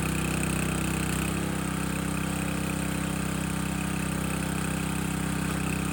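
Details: Landworks 20-ton log splitter engine splitting a second log at least twice as heavy, possibly wetter or hardwood; small engine holds an even, steady low beat without bogging; split well, healthy normal running under load.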